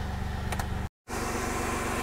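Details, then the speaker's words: 2001 Chevy Blazer ZR2 after clutch fan delete and electric fan conversion, started with AC off so the fans stay off: low, smooth, even idle rumble with no fan roar or whoosh; no loud helicopter noise, runs calmly. "okay ooh no loud helicopter baby nice nice"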